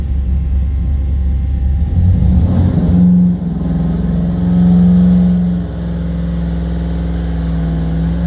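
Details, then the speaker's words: 534ci big block Chevy, full-throttle pull on a water brake dyno at a slower 300 rpm-per-second sweep: loud even pull climbing smoothly in pitch, no misses or knocks; not struggling; normal full-throttle dyno pull. "Now again, slower. Was the engine struggling? No, actually when it loads it can get for for a combo like this."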